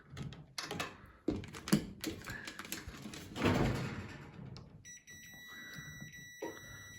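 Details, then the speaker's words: Cooker oven thermostat control switch tested with a multimeter on continuity between its two wires, dial at high: after handling clatter, a steady high continuity tone holds; contacts closed, switch good. "You can hear it buzzing already. So, that's at high. It's on."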